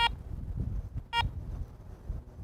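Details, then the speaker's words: ACE 400 metal detector: two short, clear high beeps about a second apart as the power button is pressed. The normal power-on signal. "to power on the detector simply press the power"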